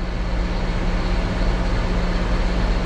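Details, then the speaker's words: John Deere 6170R tractor, cold idle after start on a weak battery (water pump leaking): deep, even rumble, no knocks or misses. Oil pressure healthy; left running to charge. "PSI idling, cold. I mean, just fine. I let it run for a little while, let it charge up."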